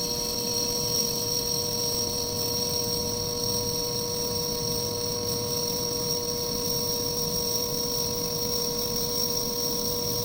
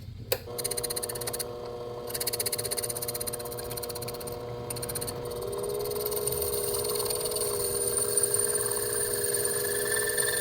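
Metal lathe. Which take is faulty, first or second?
second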